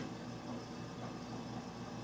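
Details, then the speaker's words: Walnut Medical home fill oxygen system filling a cylinder from the concentrator set at 3 L or less. A steady mechanical hum with faint light clicking and no knocks or surges: the fill compressor is running normally. "you can hear there's a clicking going on because that is the uncle system now working taking the option from the bottom"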